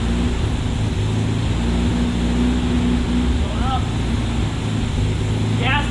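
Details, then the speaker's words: 1972 Opel GT revived after decades sitting: low, uneven idle that lumps and wavers; vacuum leaks at the carburetor. "I'm going to tell this carburetor part because we figured out there's some vacuum leaks on the uh we I tightened up the bolts and we still had vacuum leaks cuz it still was running"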